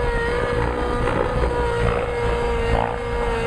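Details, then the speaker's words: Nitro RC engine under load during tick-tocks, mid-range very rich, high end not lean: high steady buzz holding pitch without sagging; pulling pretty good, more power available by leaning. "Motor is pulling pretty good."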